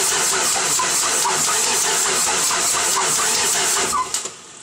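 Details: 1995 Ford 7.3 Powerstroke diesel: steady rhythmic cranking pulses for about four seconds, never catching or firing, then the starter drops off; cranks, no start.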